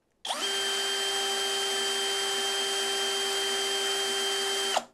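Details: Deko DKBL20DU3 20V brushless cordless drill (42 Nm) runs with a steady, even high whir at one clean pitch, no rattle or wobble, after its loose internal chuck screw was tightened; normal drill running.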